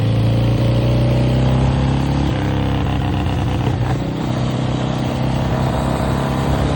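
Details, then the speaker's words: 1966 Harley-Davidson Sportster 900 XLCH Ironhead, started after years of sitting. Uneven, stumbling lope at idle, about four irregular beats a second; rough idle from a misadjusted carburetor slow jet that needs adjusting. "Yeah, we definitely got a slow jet. You can hear it. Doesn't sound right. We got to get that carburetor off and adjust that slow jet cuz that slow jet sounds horrible."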